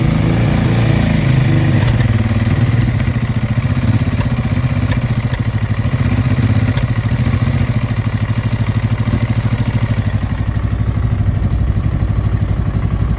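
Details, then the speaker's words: Honda Deauville NT650V5 V-twin idling too fast with irregular popping and backfiring. Timing still needs adjusting. Spark plug caps were changed, plugs cleaned, fuel confirmed in both float bowls and a new battery fitted; a lean or dirty carb is suspected. "It's still popping and backfiring, but we'll see what happens."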